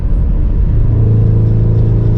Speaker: yeah there it is again but if I let off the gas just a hair it goes away see I'm still accelerating just not nearly as much but